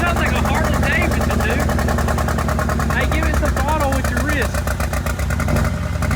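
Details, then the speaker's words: Rebuilt wrecked 2022 Mercedes G63 V8 with new Armytrix straight-pipe exhaust, just started and revved: a loud, uneven, lumpy pulse with cylinders seemingly dropping out. Misfiring; owner suspects the spark plugs. "all the way down right there this tank rning on two cylinders it sounds like it maybe like we need to change like spark"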